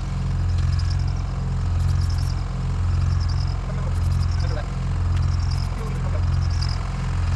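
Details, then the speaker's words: Dodge Caravan engine run on water instead of oil, third restart attempt. Cranking is slow and labored, about one stroke per second, getting slower and tighter the longer the starter is held, with no start. "I thought it was going to fire back up there for a second but the longer I held the starter the slower it got and the tighter the engine sounded like it was getting"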